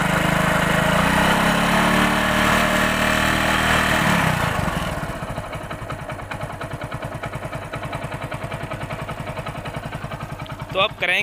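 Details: Hero Passion Pro single-cylinder bike that had loud engine noise, after repair: settles from fast rev into an even idle, about three beats a second, no knocking; healthy.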